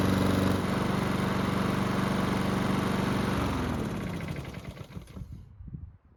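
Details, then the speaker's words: Honda lawn mower after carburettor work to fix surging, hot after several minutes of running: single-cylinder runs at an even steady speed with no surging, then winds down cleanly at shutoff; engine was lightly smoking. "So the good news is that the engine had no issues starting back up when hot. There's also no surging, which is great news."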